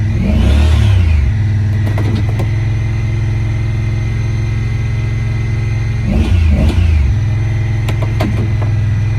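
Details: 2017 Honda Pioneer 1000-5 at 1200 miles, code 9-2, sometimes won't go into gear. Engine catches and hangs at a high, lumpy idle with uneven pulses and occasional surges. Cause was factory over-crimped, internally broken wires at the IACV plug; the plug was replaced and recrimped.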